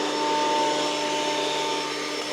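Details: Old planer test-running a board at one full crank depth after its knives were replaced and new bolts fitted: steady high whirring motor and cutterhead, constant even tone, smooth with no knocking; planer running normally.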